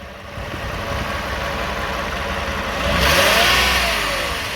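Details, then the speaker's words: 2009 Toyota Sienna: idle then light revs around 1,000 RPM bring a buzzy, raspy rattle rising with revs; suspected flex plate or its bolts, torque converter or transmission pump, not confirmed. "because there's a rattling noise when the car is on 1,00 RPM or so. Every time I accelerate a little bit, there's a kind of rattling noise."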